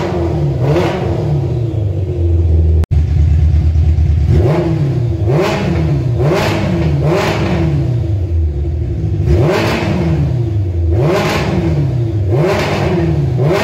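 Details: Kawasaki ZZR 1100 engine swapped into a Fiat Panda 750 Fire, during engine tests: strong repeated rev blips with crisp pickup and a clean return to idle, nothing knocking. Normal revving.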